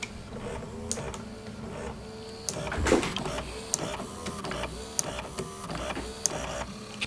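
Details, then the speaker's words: Sansui SE 9 analog graphic equalizer with preset memory, after repair (switches and potentiometers cleaned of grease, slider drive mechanism reassembled); after pressing FLAT, short motor whirs start and stop as the motorized sliders travel, clean and even; drive now works properly. "I love precise mechanisms"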